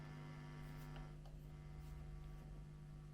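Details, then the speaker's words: 1970s Burman Pro 50 W 1x12 hand-wired valve guitar combo idling with volumes down: steady low mains hum, quieter after warming up; owner suspects old filter capacitors (or tubes), amp likely never recapped. "can hear that has got a bit quieter now as it's been on for a while so is that the tubes or is it the Caps probably the Caps"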